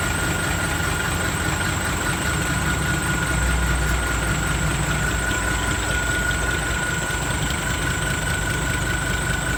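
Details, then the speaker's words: Diesel engine just fitted with a new turbo of the same brand as the old one: steady, clean high whistle over a smooth idle with no rattle or scrape; turbo sound unchanged and healthy. "เสียงก็ไม่เปลี่ยนครับเหมือนเดิมก็สโบอันเดิมเลยยี่ห้อเดิม"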